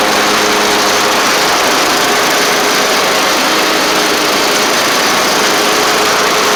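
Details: Troy Bilt Bronco mower with Kohler Courage engine, after starter solenoid replacement, carburetor cleaning, engine tightening and new oil drain plug: even, unbroken drone with no surging, knocking or misfires. Normal, healthy running.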